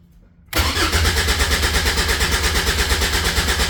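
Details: Caterham 7 620S, cold after sitting overnight: quick even starter churn, about a dozen compression pulses a second for three seconds, never fires; immobilizer suspected, fuel pump primes; cause not confirmed.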